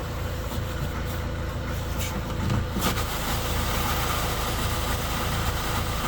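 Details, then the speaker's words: 2013 Skoda Octavia A7 1.6 TDI diesel, 188,000 km, cold start: uneven, lumpy shaking idle over clatter, as if one cylinder is off; injector correction values show problems. "Нерівномірно. Таке враження, що один поршень відключений. Но по корекції є проблеми."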